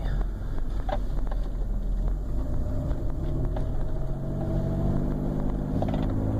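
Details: 2001 Chrysler Town & Country petrol V6 idling smoothly and evenly after replacing the bad single coil serving all six cylinders, following an EGR delete and spark plug work; misfire fixed.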